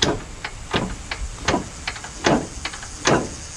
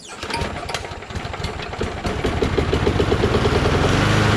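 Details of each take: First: Lawn tractor with blown V-twin, engine turned slowly by hand: loose free play then irregular hard clunks about once a second, no compression on either cylinder; both connecting rods broken. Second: Single-cylinder engine: rough cranking and catching for a few seconds, then it settles into a steady, even drone; healthy running.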